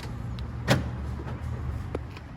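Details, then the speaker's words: Honda CR-V rear right door after replacing the faulty lock actuator that had made noise and failed to lock: two crisp lock clicks over a low idling engine, no buzzing or grinding; locks and unlocks normally. "aí ó já trocou a trava travou certinho destravou beleza zero bala todo mundo certinho"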